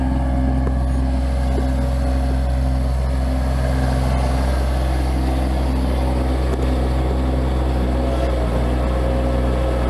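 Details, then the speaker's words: Bobcat MT85 mini skid steer, engine running: steady low drone with faint intermittent high squeaks that occur only on one particular turn, a belt squeaking from a worn tensioner, fixed by replacing the tensioner. "so so do you hear that squeaking it only happens when i make that particular turn"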